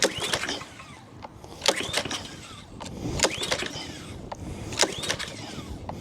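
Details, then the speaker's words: Free Honda GCV160 pressure washer with new fuel and the oil checked fine, before carburettor replacement: repeated rope pulls, a whirring rattle every second and a half, never catches; fails to start on pull-start. "so I go out and I try and start it you know I pull on and pull on and pull on and it doesn't start"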